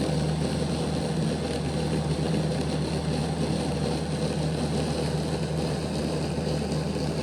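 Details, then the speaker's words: Bachmann Dash 9 model locomotive, rear motor block: steady low hum with a coarse growl, more growling than the front block; the cocked motor makes poor contact with its pickup strips, fixed by reseating the motors against the strips. "While the motor block didn't stop, the sound was prevalent, and you could hear that it was making more of a growling sound than what the front motor block was making."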